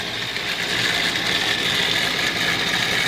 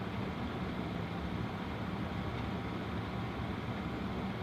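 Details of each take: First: Home furnace draft inducer motor: steady, loud high-pitched whirring hum, first mistaken for blower motor or capacitor; worn inducer bearings dragging, temporarily cleaned and greased before replacement. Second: Home gas furnace after draft inducer motor replaced, running at heat call before ignition: smooth steady whoosh with even low hum, no scraping, rattle or squeal; much quieter than the old noisy inducer.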